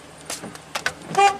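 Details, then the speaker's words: 2000 Chevy Silverado 4x4, 234,998 miles, with intermittent electrical faults (blower, 4x4 shifting, cluster, cruise): a few clicks then a short clear two-tone horn toot; horn working normally. "horn Works windows work"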